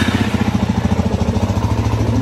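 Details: Suzuki DRZ400S project bike, carburetor refitted, idle speed being adjusted: steady, even single-cylinder thump at a settled idle with no misses or knocks; idling cleanly.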